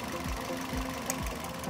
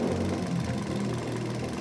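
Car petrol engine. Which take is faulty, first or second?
first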